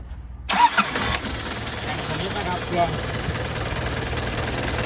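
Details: Isuzu NKR 6-wheel truck, 1996 model, started: short crank, catches at once, settles into a steady, even diesel idle with no knocks or misses; healthy engine.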